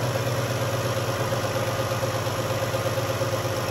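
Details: 2011 Dodge Journey 3.6 V6 after lifter and rocker replacement, cold start: smooth, even idle with a steady low drone and no top-end ticking; the earlier tick is gone and the engine runs normally.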